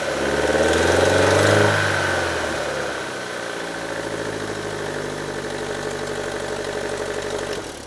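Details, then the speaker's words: 2012 Chevrolet Cruze ECO, 1.4L Ecotec turbo, start-up: engine flares then idles with a sharp, steady ticking puff from a cracked turbo exhaust manifold (manifold or turbo housing), which failed state inspection. "right, so that's pretty bad. That's what caused it to fail inspection. It's not anything with the exhaust lines or system. It's actually with the turbos."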